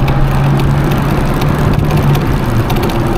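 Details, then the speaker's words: Small car bought cheaply to save from scrapyard, driven on road at constant speed: steady engine drone under heavy wind rush, nothing knocking or grinding; engine pulling cleanly, normal. "Ça a la santé, oh. Ça a la santé, c'est sympa, je trouve."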